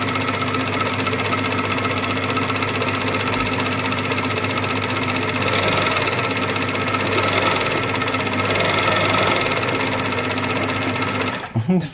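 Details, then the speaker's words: Very old sewing machine sewing a fabric speaker sock, jerky fast-slow foot pedal; dry mechanical clatter repeatedly speeding up and slowing, uneven running; owner says it sounds like it needs oil. "paddle is a bit U jerky fast slow fast slow it's an old machine very old machine"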